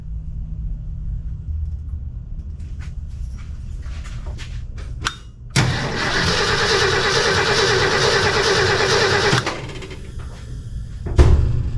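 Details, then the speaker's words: 1966 Ford F100 that has sat unused for years, cranked via screwdriver at the starter; steady cranking for about four seconds with no firing; no spark, owner suspects corroded points in the distributor, not confirmed. "Well, let's pull the distributor cap off and see if it's the points, because didn't get no spark, as you saw."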